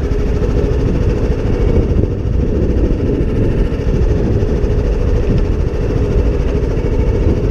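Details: John Deere D110 lawn tractor, running on choke with drive disconnected after fixing a no-crank fault, gives an even low rumble with no misses or knocks; normal running.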